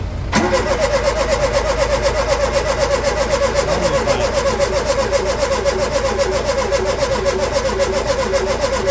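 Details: Ford Capri with a reconditioned Pinto engine plus new distributor, cap, points, leads, plugs and carburettor: the starter cranks at a steady even beat for nine seconds with spark present but no firing. Cranks, no start.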